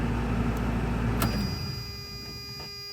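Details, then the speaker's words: 1992 Toyota pickup 22RE after starter replacement for intermittent starting issues: engine fires and runs with a steady low rumble before easing off; clean, normal idle. "Ooh. Oh, that sounded really good. Oh my gosh. Yes. Yes. Wow."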